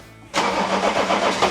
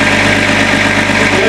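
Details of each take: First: Range Rover P38 after replacing crank pulley and water pump: brief cranking, catches cleanly to a smooth even idle with no rattle; previously rattly and rough, now healthy. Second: Range Rover P38 at startup idle with a constant coarse rattle and hum that persisted after a new water pump and belts; the cause turned out to be the crank pulley.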